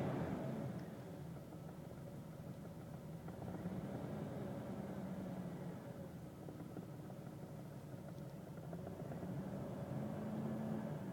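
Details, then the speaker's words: 2000 Jeep Cherokee XJ, coil-pack ignition, new spark plugs, after 20 miles of driving and 10 minutes heat soak: choppy uneven idle with stumbles and two revs; suspected cylinder 3 misfire from heat soak, owner trying injector thermal wrap. "I've been sitting here for about 10 minutes just drove it about a 20 miles back and forth and let's see if I can get a misfire here and engines riding rough I don't know if you can hear it"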